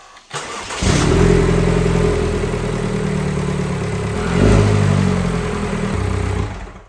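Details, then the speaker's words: Rebuilt 2022 Vanderhall Venice GTS engine after new battery, running without coolant and low on oil: cranks briefly, catches cleanly, settles into an even idle with one smooth rev blip; normal running. "sounds good are we leaking anything"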